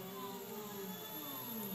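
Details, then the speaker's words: TB6560 3-axis stepper driver board run from Mach3, three steppers tracing a circle: several clean tones sliding up and down together, no stalls or grinding; motors working normally. "and you can hear it our three motor worked just as we expected and have you hear the song that's very interesting very great"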